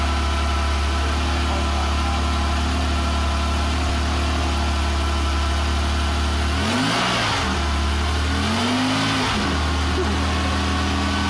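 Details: 1985 Porsche Carrera 3.2 at first start after a rebuild: smooth, steady idle, then two clean throttle blips that rise and fall evenly with no knocks or stumbles. It sounds healthy.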